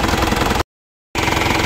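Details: Diesel after fixing cut wire to the fuel shutoff solenoid that caused crank-no-start: steady, even clatter at idle, no stumbling either side of a brief dropout; normal idle.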